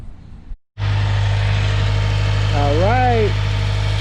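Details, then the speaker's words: 2016 Subaru WRX after greasing the clutch fork and throwout bearing: engine fires and settles into a steady, even idle with no chirp from the bellhousing after pumping the clutch; clutch release is quiet and healthy. "is gone listen you hear nothing no chirping uh so i started up i pumped the clutch probably about five or six times just to make sure the grease gets in uh every little looking cranny it can um and yeah the chirping is gone"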